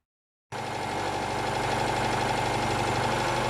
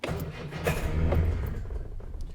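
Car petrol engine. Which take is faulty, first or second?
second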